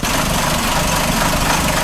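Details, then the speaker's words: 2004 Chrysler PT Cruiser after vacuum leaks, plugs and wires fixed but still missing: rough uneven idle with dull knock and stumbling miss; timing belt found off about four cogs and very tight. Engine knocking and misfire from timing belt jumped teeth. "I did check the timing on it it is off about four cogs the belt is really tight"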